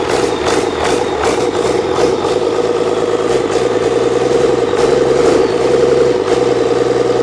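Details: Old 12-valve Cummins diesel stored for almost a decade, first start, not hooked to anything. Clatters at idle with an uneven, loping beat, about two and a half pulses a second; idle not set properly.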